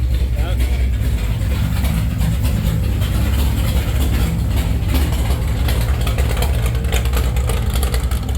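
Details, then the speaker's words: Stock 440 Mopar big block from a camper, in a Chevy K10, with the biggest cam that fits, at about 700 rpm idle: heavy, lumpy rumble with an uneven beat that never smooths out. Misfire suspected from plug wires with bad spots; new wires planned. "That sounds shit. I wish it wasn't misfiring because it probably sounds so much better. That's about 700 RPM right there at idle."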